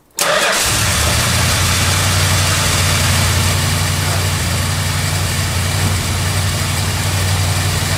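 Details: Cold idle of the 440 V8 in a 1971 Chrysler New Yorker after a fuel system overhaul (new tank, sender, pump, AVS2 carburetor). It fires instantly, then the choke idle is backed down from too high. It settles into a smooth, steady idle with no knocks or misses. Normal.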